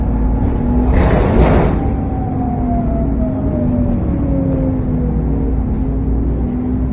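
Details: SN61 DDE E210 on a dead run back to MB: over a steady low diesel roar a clear whistle slides down in pitch as revs ease, turbo whine and cooling fan thrash.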